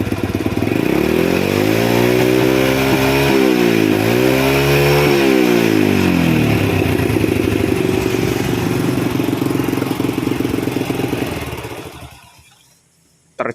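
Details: Single-cylinder carbureted motorcycle that is hard to start, dies quickly, fouls plugs black and wastes fuel, before carburetor repair: it revs up and down twice, rough and spluttery at the top, and blows black sooty exhaust; it runs rich from a carburetor fault.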